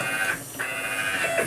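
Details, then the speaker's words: Homemade JGRO CNC router Y axis, upgraded from 80 oz stepper, tuning velocity in Mach3: high buzzing whine stutters and breaks up as velocity is pushed past about 40; stepper stalls, so velocity set back to 39. "it just can't handle it so I'm going to I'm going to go 39 so I think that's good for now"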